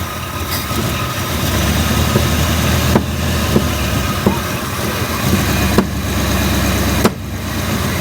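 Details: 1971 Ford Mustang Mach 1, possibly Cleveland V8, revived after 20+ years sitting, with a deteriorated, too-short vacuum line: idle has irregular sharp pops about every second over steady rumble; cause unclear.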